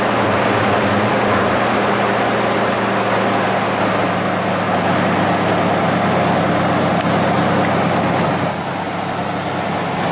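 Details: 1996–2002 Toyota 4Runner 3.4L V6 after the drive belts were retensioned by loosening the component nuts and tightening the adjuster bolts. It idles steadily and evenly with a smooth low hum and no belt squeal or chirp.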